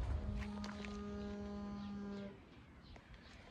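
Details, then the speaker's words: Honda Civic GL parked, idling: a low steady moo-like tone at even pitch for about two seconds, then stops; source unknown. "Mano, o carro parado de repente faz um barulho de boi, meu."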